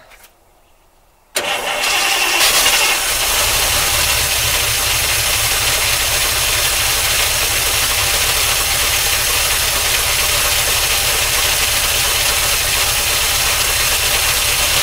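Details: 1953 Oldsmobile Rocket Super 88 barn find with no exhaust, which kept dying when started. It cranks and catches, then a constant high metallic whirr rides over the idle: the starter drive stays engaged, and the owner plans to pull the starter again.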